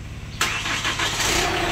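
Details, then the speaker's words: Chevrolet Captiva diesel, start after replacing seized water pump, broken timing belt, timing roller and tensioner: engine catches and settles into an even diesel idle with light normal clatter, no odd knocks; runs healthy. "lagi saudara dulu mesin nyala nanti coba kita gas mobil ya oke"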